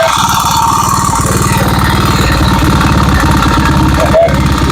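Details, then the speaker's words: Honda Vario 110 (Vario Techno, KVB) scooter at idle: rough, clattering engine with a fast metallic rattle over the beat, described as "ngebletrak"; mechanic plans to open the chain drive to the radiator and oil pump to inspect, consistent with slack cam chain rattle. "Maksud saya seperti itu suara yang kasarnya ya. Jadi suaranya agak ngebletrak ya."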